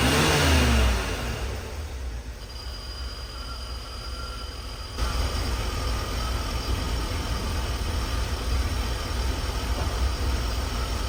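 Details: 1984 Chevy K20 with 350 V8 after sitting 7 years, following spark plug and oil change: deep steady idle with even low pulse, no misses or knocks, getting smoother as it sits; normal idle.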